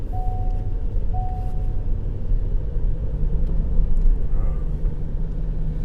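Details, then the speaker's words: 2020 Ford F-150 3.5 L EcoBoost that was running rough, first start after new coils, coil boots and spark plugs, checked for a miss with the engine cover off. A deep, even rumble with no stumbling or popping. Normal running, misfire gone. "All right, fire it up. Make sure it ain't missing before I put this cover back on."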